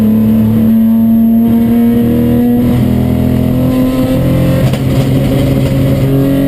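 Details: Chumpcar race car at Watkins Glen, mid-day on track: engine at high revs with uneven stumbling note and brief dropouts under load; misfire of unknown cause.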